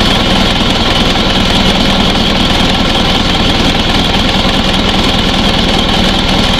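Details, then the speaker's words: Isuzu Panther diesel at idle: steady high-pitched squeal over an even engine note from a very slack alternator (dynamo charge) belt slipping on its pulley; belt squeal. "jadi aku jawaban yang suara mencicit pada mesin tadi itu adalah di pandai-pandai nah pandai dinamo charge ini sangat kendornya"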